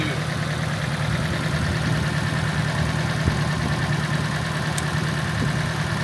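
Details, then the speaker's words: Nissan S13 at idle, shaking and smelling fuely, cylinder 2 suspected: uneven, lumpy idle with stumbles, note changing between cylinders; misfire, coil packs to be swapped to tell injector (possibly stuck open) from coil. "Alright, so diagnosing this misfire here, you can see you get a change in note in the engine between all of these cylinders, but this one's an issue."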